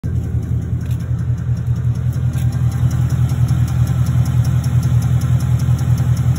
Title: 2016 Mustang GT Ticking sound